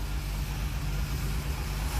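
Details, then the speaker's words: 1962 Rambler American 400, cold start with choke on, running rich and slightly rough: low even idle rumble, a touch lumpy, with no whirring, belt rubbing or bearing noise; oil and generator lights off; normal idle. "It just sounds like an engine. There's no whirring, there's no belts rubbing, there's no bearing noise."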